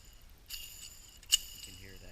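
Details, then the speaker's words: Dry, badly worn ball bearing from a failed starboard seawater/fuel pump on a Sea Ray MerCruiser engine, spun by hand: thin metallic jingling rattle with a sharp click. "this is the starboard fuel pump which went bad two weeks ago and I've already pulled it apart disassembled it here is the shaft here is the slip washer as you can see quite a bit of wear that bearings it was completely dry"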